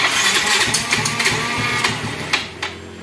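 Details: Yamaha X-Ride fuel-injected Blue Core scooter after throttle body cleaning, TPS possibly loose: short, uneven, sputtering bursts that can't settle into a steady idle and die; idle air screw set too low, hard starting.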